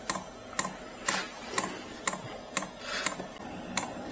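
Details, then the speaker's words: Maxpeedingrods 17000 BTU 12V diesel heater at start-up, 2kW mode, fan about a third, igniter on, battery pulled to about 11 V: sharp evenly spaced ticks about twice a second over soft fan hiss, dosing pump metering fuel normally. "our Bluetooth is on and that's why we're showing this all right just heard the pump kick on"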